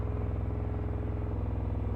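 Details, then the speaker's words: Yamaha FZS600 four-cylinder idle during carb balancing, filters off, carbs 1-2 vacuum high and 3-4 low: covering the number 2 air pilot hole leaves the steady idle unchanged; carburettor pilot circuit not responding, cause suspected. "if I do it to number two-nothing so let me explain what I think is happening"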